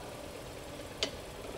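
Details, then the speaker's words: Mazda Atenza (阿特兹) jacked up at idle; single sharp clunk when brake pressed in reverse, traced to the steering knuckle area; knuckle possibly non-genuine, slide pins recently replaced at dealer. "这还是羊角这块出来的声音呢。"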